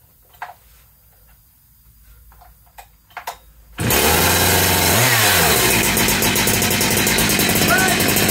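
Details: Cheap second-hand big bore 52mm 372XP chainsaw kit with a 272XP pop-up piston and thicker base gasket, first run after reassembly. It fires and holds a strong, steady high-pitched buzz that revs out cleanly, running better than with the old piston. Normal running.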